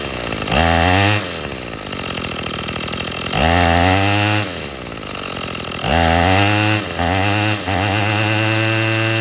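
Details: Troy-Bilt TB22EC string trimmer, after replacing an old primer bulb to fix a no-start from sitting: clean throttle blips to high rev, dropping back to a steady idle; healthy.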